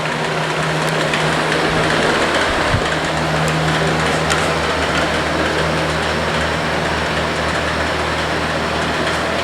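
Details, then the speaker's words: Comfort Zone box fan after a year and a half of use, on high: steady fan hum with irregular light clicking and crackling from within the motor, present even with the blade off; owner thinks the bearings are rotten. "crackling sounds comes from within the motor because even without the blade on it makes that sound I think the bearings are just rooted"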